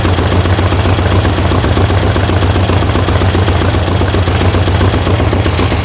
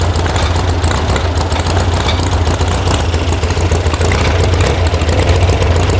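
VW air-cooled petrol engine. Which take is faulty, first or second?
second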